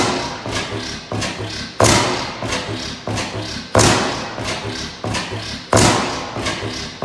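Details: 15 hp Bessemer kickstart oil field engine, first run in about ten years, no governor belt: big slow thumps about every two seconds with lighter coasting beats between; hit-and-miss engine firing evenly.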